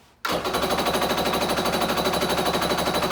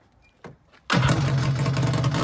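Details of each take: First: Kawasaki 750SS small-pin engine in an SC jet ski, air filter cover off, cranking: fast even chatter with no firing; spark is good but there is no fuel in the carburetor. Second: Kawasaki SC jet ski with swapped-in 750SS two-stroke and a cooker pipe fitted: a couple of starter chirps, then it catches and runs with a loud, raspy, crackling bark from the open pipe; loud aftermarket exhaust.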